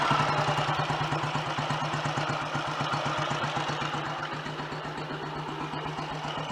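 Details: Royal Enfield Model G 350 single on a bike lift: slow, even, unhurried thumping idle with no knocks. Quiet magdyno gear train; sounds much happier, a normal idle.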